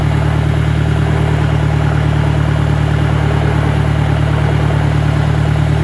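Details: 1965 John Deere 1010 with suspect maintenance, Stanley muffler, about 1000 rpm in first gear: a loud, even clatter at roughly three beats a second over the engine drone; a worn, noisy gearbox.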